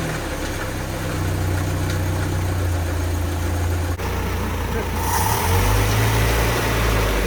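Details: Land Rover Series IIa, first start after engine rebuild, warming up: steady low idle with an even beat and a brief rev blip, smooth and settled, no knocks or ticks; healthy running.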